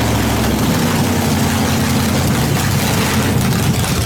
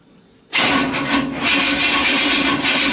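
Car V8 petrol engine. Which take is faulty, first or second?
second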